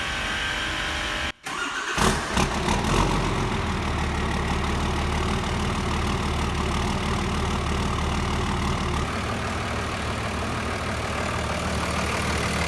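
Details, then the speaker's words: 2008 Ford F350 with a Cummins swap (stock, big alternator, two new batteries), started to check for blow-by: short crank, a catch, then settled, even diesel clatter at idle, no misses; no blow-by or smoke, normal start and idle. "No smoke, it's totally stock. That still sounds good."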